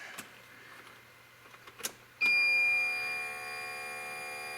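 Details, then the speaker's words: Electric lift pump fitted to a 1994 Geo Metro converted to a Kubota D1105 three-cylinder diesel, heard at key-on: a few clicks, then a sharp steady high buzz settling slightly lower. Normal fuel pump priming. "can hear it back they're buzzing I just need to zip tie those wires up and get this back down level and then should be able to start her right up"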